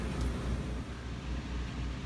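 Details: 3700 W RV generator running a Coleman Mach 15 15,000 BTU air conditioner with a Supco SPP6 hard start capacitor, fan turned on before the compressor: steady low drone at even speed, no hunting or misfire; generator running normally under the AC load.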